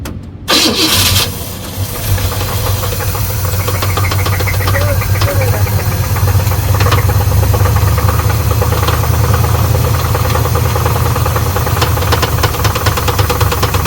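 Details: 1979 Pontiac Trans Am V8 started after sitting over a decade, with the starter cleaned and refitted: it cranks, catches and runs loud and rough with a rapid ticking knock; oil pressure is good; cause unconfirmed.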